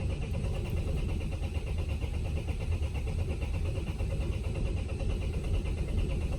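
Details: Vauxhall Vivaro/Renault Trafic 1.9 dCi diesel after a runaway, with uneven compression across cylinders, started without easy start: deep, uneven, lumpy rumble that catches and keeps running, with smoke from an unclear source. Owner suspects the head gasket area; rough running.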